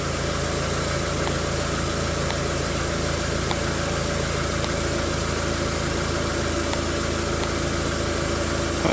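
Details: Known-good car idling while scoped on crank sensor, cam sensor and number one plug wire for comparison with a crank-no-start car: even, steady idle with a smooth low hum and no misses, knocks or ticks; running in good order.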